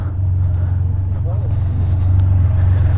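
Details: 2015 Can-Am Spyder RT Limited with a shake issue, ridden after new tires and Ride-On were fitted: deep, throbbing low rumble pulsing about three or four times a second; better but still not right, cause undiagnosed.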